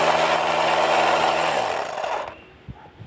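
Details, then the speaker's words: Air compressor after repair (disassembled, pump section reassembled, previously not compressing and sounded slipping): steady motor hum with firm, even pitch, no slipping or rattling, clean spin-down; now running properly. "Iba na yung tunog kung hindi katulad sa kanina. Sa kanina kasi parang dumudulas."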